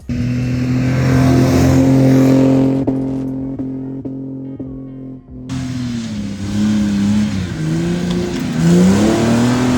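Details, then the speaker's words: Toyota LandCruiser exhaust before Pacemaker extractors were fitted, recorded on earlier trips: a deep, steady exhaust drone rising and falling evenly with revs, with no blowing, ticking or rattle; a normal exhaust note. "So, I'll pop a couple clips up uh from previous trips. It sounds pretty much the same as it did then."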